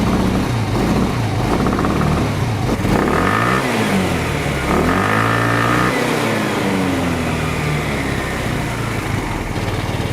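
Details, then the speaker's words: Genuine Buddy 125 scooter, first start after carburetor cleaning/rebuild: quick blips rising and falling cleanly, then even steady single-cylinder idle; healthy. "Sounds like it idles pretty good, too."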